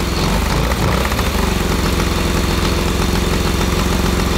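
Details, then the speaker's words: 1982 DOHC Honda CB750 engine in a cross kart after carburetor rebuild and coil change: loud, fast, thrumming idle holding constant speed without hunting, smoking; steady idle restored. "wow that's a smoker we have idle oh pull to the string okay hey that's a win right"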